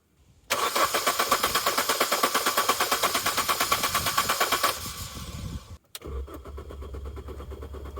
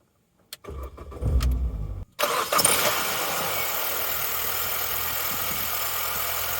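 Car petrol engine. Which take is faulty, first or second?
first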